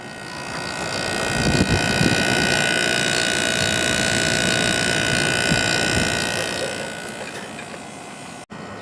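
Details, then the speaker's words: 1989 Carrier International Series window air conditioner (6200 BTU, GE fan motor) running on medium/high fan after running a while, now blowing cold; steady airy fan rush over constant compressor hum, no rattling or odd cycling — normal cooling operation. "It's getting nice and cold now, so it's definitely working properly."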